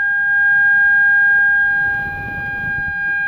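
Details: Air-brake truck during a CDL air brake leak-down test: a steady, piercing buzzer holds one unbroken pitch as reservoir pressure drops too low, sounding the low air pressure warning.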